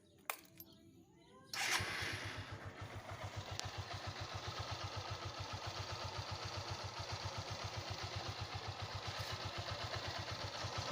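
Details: 150cc single-cylinder motorcycle engine after repair with a new connecting rod (biela). It starts and idles evenly with a steady firing beat and no knock, normal idle.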